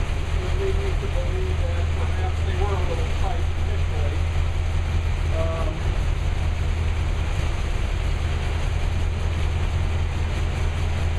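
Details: New V8 with Lunati 60140 solid cam, idling hot after valve lash was reset from about .010 to .014 intake and exhaust per the cam card: deep, even idle rumble holding steady, no uneven beat or loud clatter; solid-lifter valvetrain sounds healthy.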